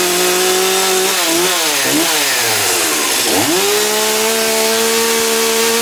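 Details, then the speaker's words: STIHL MS270 chainsaw, cold start indoors: clean, steady two-stroke buzz, a few throttle dips and blips, then an even high idle; healthy cold start. "So I got everything all lined up and we'll do a grimy cold start on all of them, make sure they're all still good."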